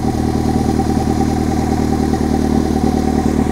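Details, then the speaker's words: 1996 Honda Civic D16Y7 at first start after home turbo install, stock engine: even settled idle about three beats a second, light valvetrain clatter, turbo spinning, no misses or hunting; running properly. "Turbinho ali girando. Ligou, galera. Ligou. Turbinho tá rodando, ó."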